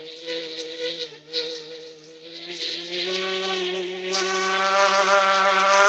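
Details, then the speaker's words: Engine, possibly on a twin Savage, runs rough after hard starting: a high buzzing note wavers and dips, then climbs and holds steadier. Owner hopes the carburetor isn't sticking; cause unconfirmed. "Whoa. Whoa. You are what? You are not starting. Yeah. My um I hope it's not the carburetor getting stuck."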